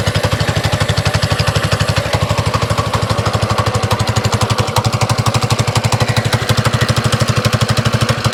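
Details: Lightly modified 224cc single-cylinder engine in an FRP GMB100 mini bike frame, just started on choke: crisp, evenly spaced exhaust beats at a constant pace with no stumbles or rattles, running smoothly.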